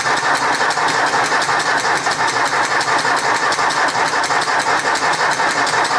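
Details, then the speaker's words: 1964 Ford 4000 Rowcrop diesel tractor, first run after restoration and injector bleeding: rapid, even popping over a rough idle. Owner guesses an air pocket, which stopped on its own last time; many exhaust leaks also present. "Is doing that, but it did it the last time I ran it, and it eventually stopped. I guess it's an air pocket. I have no idea."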